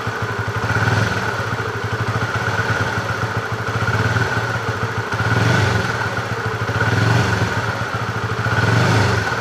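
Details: Honda CB fuel-injected motorcycle after TPS check for bucking: steady idle with smooth rises and falls as throttle is blipped, no stumbling or popping; running clean.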